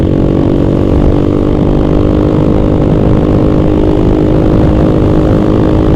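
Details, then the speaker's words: Honda XR200R single-cylinder motorcycle while riding: loud, fast, steady running with a harsh clattery knock in the beat; owner notes the valve train also knocking and performance seemingly lost, knock source unconfirmed. "Nossa, olha o barulheiro que tá fazendo o motor. Vou ter que ir lá endireitar, moleque."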